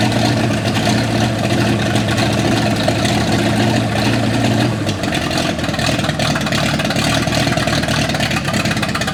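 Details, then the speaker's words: 1955 Chevy V8 stored 20 years, running on brake cleaner in the float bowls to pump out old fuel: runs steadily about five seconds, then the note drops and roughens as the temporary fuel runs low. "top the float bowls off with some brake clean just to give us something to run on here see if we can pump anything out of it"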